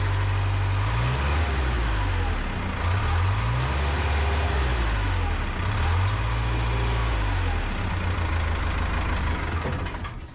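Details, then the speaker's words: 1975 Cat D3 dozer diesel speed sags and climbs every second or two instead of holding; throttle won't stay set unless held, cause not confirmed; loose leaking fuel fitting noted nearby. "there you can see what I mean you have to hold that throttle or it just won't stay put"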